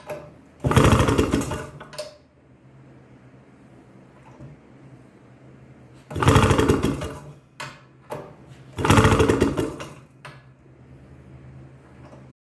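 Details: 1962 Harley-Davidson Topper scooter: three separate roughly one-second bursts of cranking with quiet gaps, engine never catches; crank no start.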